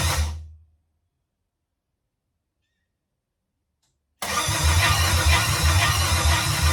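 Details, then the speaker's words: Chevrolet C10 with LS swap, first start attempt after fuel tank and lines install, fuel pump primed: starter grinds over roughly, engine never catches; ECM unpowered due to blown fuse, crank no start. "starter sounds rough let's go ahead and check some stuff out well i guess i'm going to start cut the multimeter out and i'm kind of thinking that you know our science in here it's not getting powered where it needs to be"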